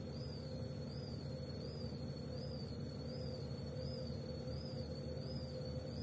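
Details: Gorenje W98F65I/I washing machine, 8 months in use: high whistling squeal wobbling up and down about twice a second over a steady drum hum; drive belt slipping.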